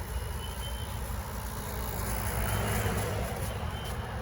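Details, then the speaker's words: Faint high beep comes and goes over low outdoor rumble after rain, loudest right outside the owner's apartment but not coming from inside; building fire alarms are disabled, source unidentified. "So investigating this noise, I can't figure it out. And it did just rain and the noise is still going, but it's loudest literally right here, and right there is my apartment."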